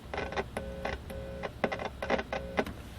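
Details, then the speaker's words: Hallicrafters S-40B shortwave receiver, sold as working but not receiving: screwdriver touched to first audio driver tube grid, pin four, gives rough buzzing hum bursts in speaker; audio amplifier works but radio is deaf. "so that tells us that the amplifier is working. Okay. But it also tells us that the radio is deaf."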